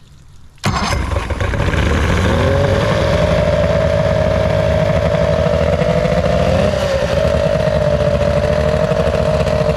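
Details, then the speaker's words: Restored 13 ft Delta T850 race boat, started with a little throttle: catches instantly and settles into a steady, crisp, even rumble, no misfire or knocking; healthy start. "Time to go for a ride. Cannot wait. Sounds good."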